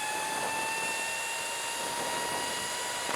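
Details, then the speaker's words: Sur Ron Light Bee with QS165 motor, NXT tuner, cruising at 40 mph, hitting power limiter: steady high whine near 1 kHz over rushing noise; very loud drivetrain, source unclear. "That's 40 miles an hour. Man, it is hell loud at 40 miles an hour."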